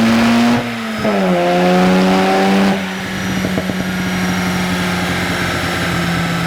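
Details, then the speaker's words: Mazda FD RX-7 rotary on the dyno during a tune: loud high-revving note pulls cleanly up through the range, then drops into a smooth steady drone; boost is super smooth and the engine is healthy under full load. "And they're just buttoning everything up, and Nelson's going through the tune and just making sure everything is smooth. The boost is super smooth, the car sounds amazing."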